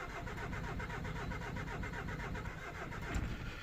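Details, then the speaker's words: 2000 Mitsubishi Pajero 2.5L diesel, crank no-start with no ECU communication: steady cranking churn with even compression pulses that never fires. It sounds like a dry diesel getting no fuel; hardly any comes from the fuel filter. "what I did know is when I was cranking the engine it's very hard to come through on camera but I noticed like a dry diesel engine as if it wasn't getting any fuel"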